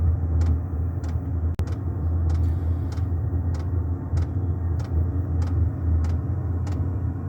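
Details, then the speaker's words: Diesel air heater used for home heating, running outdoors after start-up: steady low burner roar with fan motor and a sharp fuel-pump tick about every 0.6 seconds; normal operation. "That's the pump ticking. The diesel pump, and you hear the motor going, and the roar from the burn chamber."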